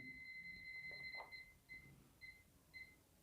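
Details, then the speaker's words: Electric iron that won't heat, power cord checked with a series continuity tester: a steady high beep turns into short broken chirps about every half second. The intermittent beep marks a break in the cord's wire at that spot. "देखिए यहां पर रुक रुक के आवाज आ रही है और यहां पर यहां पर देखिए पूरी तरह से आवाज आ रही है"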